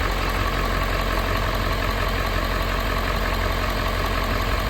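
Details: 2011–2016 Ford F-350 6.7 diesel with dual alternators, started after double-sided serpentine belt replacement: steady, even diesel idle clatter with no squeal, chirp or slap from the belt; idles normally.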